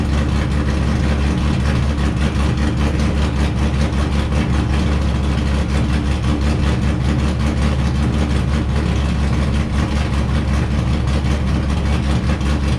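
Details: Wrecked C5 Corvette Z06, run in gear with clutch out to check transmission and diff; constant deep drone, no grinding, clunking or binding: driveline healthy.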